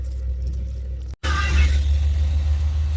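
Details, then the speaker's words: 1987 Chevy 1500 square body V8, warmed after first start in nearly 2 years: idle has come down, deep steady rumble with only slight up-and-down in speed; normal warm idle. "Idle came down. It's running pretty smooth. It's got a little up and down, but nothing to be concerned about."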